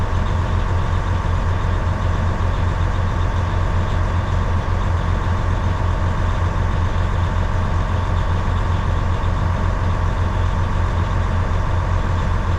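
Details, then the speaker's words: 2012 Western Star log truck diesel idling while building air toward about 100 psi: constant low fan roar that never drops off; the fan should have shut off by now, fan clutch stuck engaged. "That fan should shut off. I think it would have been shut off by now."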